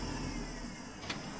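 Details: First fire of a 4.8 LS V8 swapped into a 1952 Pontiac sedan: a short, quiet stretch of even turning with a smooth low rumble and no knocking; it sounds healthy.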